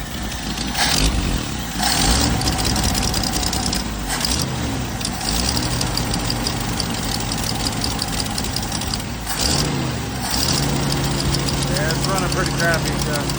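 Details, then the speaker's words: 1979 Jeep CJ5 carbureted engine, first start after sitting since 2019 on old, foul-smelling fuel from the tank: stumbles and surges at idle, pitch wandering between throttle blips; rough idle, cause not confirmed. "give it a idle wow this thing smells terrible it's straight for probably is in the tank ID I don't know how but it kind of idling that's poor thing"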